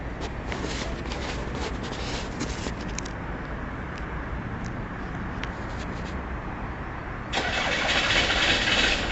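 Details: Ford Transit diesel van on a cold start: long run of steady starter cranking at about three beats a second with no catch; engine will not fire, hard starting, cause unknown.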